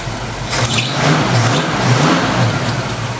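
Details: 1968 Ford Mustang V8 catching and revving cleanly after 12 volts jumped straight to the ignition coil fixed bad voltage; steady even beat with some belt noise owner will tighten; normal running and revving.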